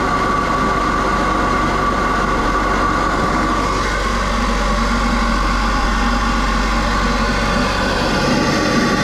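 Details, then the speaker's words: Buick Regal GS turbo, just fitted with K&N cold air intake (part 63-3091, Malibu kit), first start; steady idle under loud airy rush with thin whistle, sounds like a jet; finding: normal idle with open intake. "That joint sounded like a jet was about to take off."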